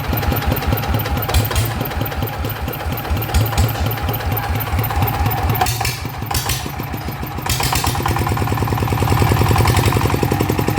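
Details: Single-cylinder motorcycle engine, RT 120 upgraded to 155 with cam, after replacing a worn, gritty clutch centrifugal bearing: even, crisp firing beat picking up near the end, no rumble or rattle, much quieter, healthy.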